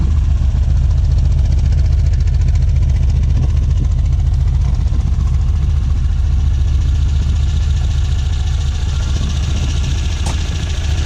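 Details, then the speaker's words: 1967 Volvo 1800S four-cylinder fired up for a walk-around, idling around 1,100 rpm; low, even burble with no misses or knocks; smooth-running, normal idle. "okay I'm gonna fire it up as well so you guys can hear it should idle ride around 1,100 rpms"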